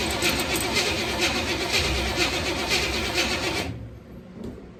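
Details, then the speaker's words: 1974 Chevrolet C10 bought as a non-runner: the starter churns evenly at about four beats a second but never catches. It cranks without starting because the fuel pump was not hooked up, so no fuel is reaching the engine. "Did the same thing a while ago. Forgot to hook my fuel pump up. It always helps to have fuel."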